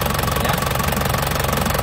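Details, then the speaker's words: 2004 Panther LS (Black Panther) diesel, about 160,000 km, hot after driving 30 minutes earlier: steady, even warm-idle clatter with a regular beat, no misses or odd knocks. No exhaust smoke and the oil cap check is fine, so the engine is healthy. "Suaranya masih ya, enak pokoknya, suaranya sip, dari mesin sehat nih ya."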